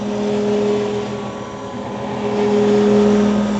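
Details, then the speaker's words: Grizzly G310 milling machine spindle running at 2220 rpm: steady hum with a throbbing pulse about four times a second, louder at higher rpm; cause of pulsation unknown. "i'm hoping you guys can hear this pulsating effect that's going on when i turn this on um and like i said when you go faster in rpms it just sounds louder and everything else"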